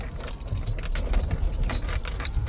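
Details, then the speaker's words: Nissan Sentra driven over bumps and through turns. Loose, jangly rattles burst from the cabin over low road rumble. The glove compartment was checked before the source was found. "so obviously customers take that when you drive vehicles every every time you hit the bump or making a turn you make that loud squiring or rattle noise"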